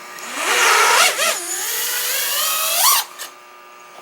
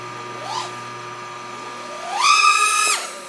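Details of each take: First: OxFPV Acrolite 230 quad with T-Motor F40II Pro motors, Betaflight 35A ESCs and F4 flight controller, during PID tuning after lowering P and raising D gains: motor whine wavers on full-throttle punches, still showing top-end oscillation. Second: OxFPV Acrolite 230 quad with T-Motor F40II Pro motors and Betaflight 35A ESCs during Betaflight 3.2.3 PID tuning in cold weather, D gain raised and TPA at 28%. A quick rising, then steady, smooth whine; motors sound clean, though some bounce-back oscillation remains.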